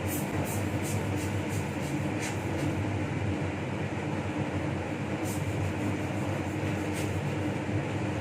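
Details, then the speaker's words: Laminar flow hood restarted during reassembly of a Toshiba DT01ACA100 donor hard drive: steady, even rushing air with a low hum holding constant; the blower is running normally. "Here the laminar starts again. You can hear the voice now."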